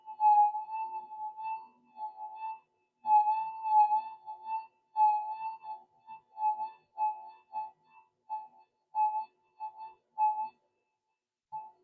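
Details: SD2000 metal detector with a re-engineered power supply, tested with a 0.05 piece at the coil: clean mid-pitched tone bursts rise and fall over a silent background, a normal target response.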